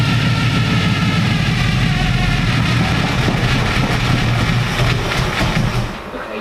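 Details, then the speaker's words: Supercharged stock 350 V8 with a 6-71 blower and twin carburettors, first start: a deep, lumpy rumble runs rough for a few seconds, then sags and dies as it runs out of fuel. Fuel pressure was later checked at 6 psi. "it's running out of fuel so sets like 27 degrees now oh man it sounds so freaking cool"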